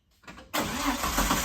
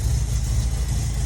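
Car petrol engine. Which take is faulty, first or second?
first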